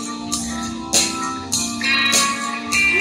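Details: KRK Rokit 5 studio monitor that had the famous crackling fault, after being hit: music with tambourine and guitar plays steadily with no crackling or dropouts, so it now seems fixed.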